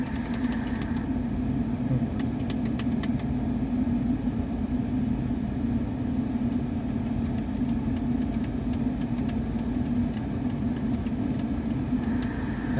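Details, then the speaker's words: Mercedes-Benz E230 at idle with the engine at normal temperature, after the faulty A/C control module was replaced; auto mode on. Steady low hum, the A/C compressor runs and cools, with no squeal or rattle. All normal. "ชัดเจนนะเสียงการทำงานปกติทุกอย่างนะครับ"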